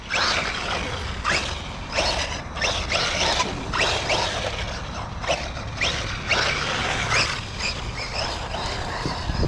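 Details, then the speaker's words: LOSI Lasernut U4 1/10 4WD brushless RC rock racer, recently refurbished, original ring gears, diffs shimmed: sharp irregular clicks over the motor whine while driving; drivetrain clicking, source not yet diagnosed. "all right so yeah we'll have to diagnose where that clicking coming from hear it"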